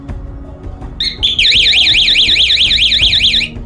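Loud high warbling siren sweeps up and down about five times a second for two seconds, then cuts off abruptly. Cause suspected, not confirmed.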